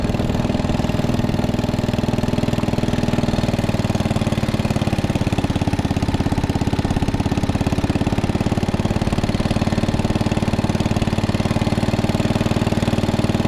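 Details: 1961 International Cub Cadet Original tractor, 7 hp Kohler single-cylinder, being driven after new tubes fitted: steady thump at an even beat, no knocks or misses; engine running smoothly and healthy.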